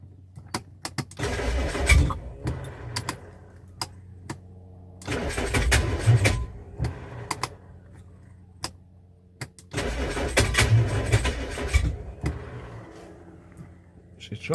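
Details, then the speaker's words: Classic Rover P6 being recommissioned, fuel pump just rebuilt, open exhaust: three cranking bursts of about two seconds, engine chugs and tries to catch but never fires; ran only momentarily earlier, fuel delivery problem remains. "but um I did have it running momentarily. Still got a fuel delivery problem, though."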